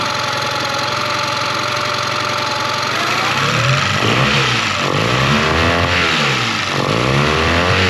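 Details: 2001 Yamaha 15hp four-stroke short-shaft outboard, sat in a barn 5 years, first start after service: even, steady idle whose pitch swings up and down as idle speed and mixture screws are adjusted by ear; no knocks or misses, healthy.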